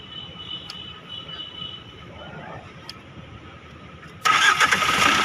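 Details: 2020 Tata Nexon with dead battery, jump started: near silence, then engine catches suddenly and holds steady fast idle; starts fine.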